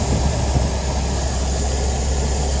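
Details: 1986 Toyota van wagon, original 5-speed manual, recently tuned up with spark plugs, air filter and oil: low, steady idle with an even beat and no knocks or ticks; engine sounds healthy.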